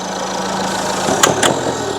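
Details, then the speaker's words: 2002 Citroen Berlingo HDi diesel idling while Lucas Diesel EGR & Turbo Cleaner is drawn into the intake: a steady idle broken by a couple of sharp cracking rattles; the flammable cleaner ignites before the piston reaches the top, causing pinking. "we had a problem where it pulled in the intake I rubbed the engine except the load of it in and this is very very flammable which is one reason you could hear that cackling noise that was the engine pinking effectively so ignition is happening before the Piston has got to the top of its travel"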